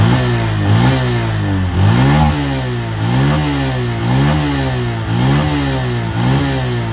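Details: New 2023 Honda Wave 125i engine revved in quick blips about once a second, the note rising and falling cleanly with no knocks or rattles; normal, quiet revving.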